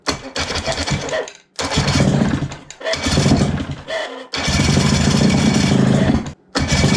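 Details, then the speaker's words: 1989 Johnson 35 hp two-stroke outboard, first start after sitting 15 years with the carb uncleaned, running without the lower unit or cooling water: a crisp buzz revving in short bursts that picks up cleanly and idles on its own. "i'm super happy that it was actually idling on its own that never happens"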